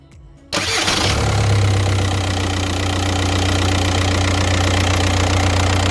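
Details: Car with a P0118 coolant temp circuit high fault, fans constantly on when cold; after finding coolant sensor wiring melted on the hot water pipe, cold start: short crank, quick catch, smooth even idle with no fan roar.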